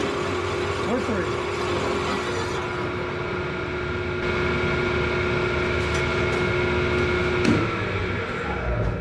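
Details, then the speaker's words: Large drill bit on lathe or mill after oiled rag pressed against the part to stop chatter: steady clean cutting tone under spindle hum to breakthrough, no chatter, round accurate hole. "So, you can see there we got a nice round hole, accurate, and uh done quietly."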